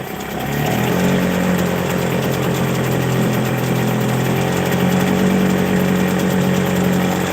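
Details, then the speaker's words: Hangkai 6hp two-stroke outboard after carburetor rebuild, fuel valve shut and running the carburetor dry: loud, rapid burble at steady idle with even beat; idling normally. "Try to let it just run dry. Just bear with me. It'll be a little loud. It is a two-stroke. So, it's a little loud, but I'd rather it run it dry than to let it sit with gas in it."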